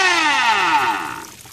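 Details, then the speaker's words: Golden Motor 5kW 48V electric outboard on an Infineon controller: a high-pitched whine sliding smoothly down as the motor spins down from high speed, no grinding; normal. "just so that's pretty much limited you can tell it's a very fast uh W Motor"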